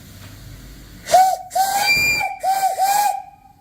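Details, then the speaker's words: Whistle on new 20-inch, 22-tube boiler powering 5 HP steam engine, 100 lb pop-off; several short clear whistle blasts with steam hiss, steady pitch, working properly. "Really nice whistle."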